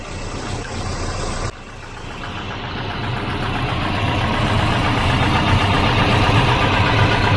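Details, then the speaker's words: Volvo 244 redblock, previously a no-crank after sitting parked. After ground/earth and wiring checks it starts and settles into a steady, even idle, a smooth low pulse with no stumbles. Idle stated as about 150 rpm; running healthy. "uh it must have been idling there about 150"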